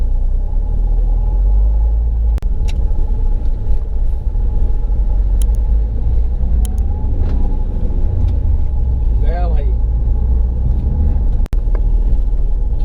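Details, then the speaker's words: Mahindra XUV500 6-speed manual gearbox after complete overhaul (clutch already replaced), driving and pulling in gear: even low drivetrain and road rumble; the earlier "hak hak" knock when pulling in second gear is gone, gearbox healthy. "पहले खींचने प आवाज आ रहा था करके व अभी आवाज बंद हो गया है"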